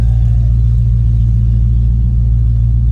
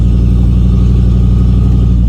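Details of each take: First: 1989 Ford F-250 big-block V8 at idle with no catalytic converters, a 3-inch exhaust and a near-straight muffler ending behind the passenger cab: a deep, even, loud droning rumble with no knocks; owner thinks idle seems high but it may just be exhaust loudness. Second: 1989 Ford F-250 big-block V8, hot after a 10-minute drive, ignition control module moved to the fender to cure hot no-start: right after the hot start it burbles deep and steady with no stumble or misfire and holds a clean idle.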